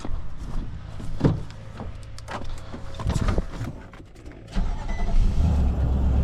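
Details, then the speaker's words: Nissan Titan that only clicked when starting, after starter replacement with battery reconnected and jumper on: scattered clicks and handling noises, then the engine fires about four seconds in and settles into a steady run; starts normally, possible slight exhaust leak suspected. "Well, it's a good job there. That one got handled pretty quick, and now it starts."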